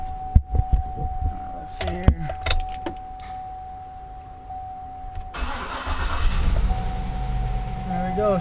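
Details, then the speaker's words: 2004 Cadillac Escalade with a crank/no-start complaint, after a bad crankshaft position sensor was replaced: quiet shop noise, then the engine starts and settles into a steady, even idle. Normal start. "alright guys so we got the new crankshaft sensor installed and it should fire up"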